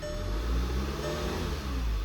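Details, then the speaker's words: VW Tiguan after swapping ignition coils: steady, even low hum with no stumble or missing beat; all cylinders firing, engine runs smoothly. "Now it runs good. Another job well done."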